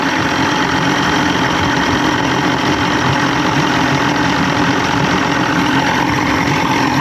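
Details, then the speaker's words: 1987 Johnson 150hp V6 two-stroke outboard with loss of power, after spray cleaning and a slight adjustment; dense uniform steady drone with no skips or knocks, all six cylinders sound like they're firing: normal idle. "Now I kind of want to make sure they're all fire. Sounds like they are. Yeah, that was fire. Yep, that was fire."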